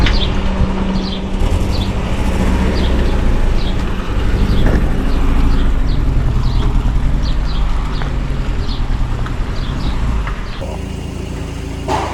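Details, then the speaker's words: Citroën C4 (180 hp stock) being converted to ethanol, injectors fitted, on a dyno, ECU awaiting flash: deep, uneven, lumpy idle with a stumbling beat, running on three cylinders; an injector is drawing air, fix is replacing its seal. "Les injecteurs sont montés, mais pour l'instant elle tourne sur 3 cylindres, elle tourne vraiment pas bien."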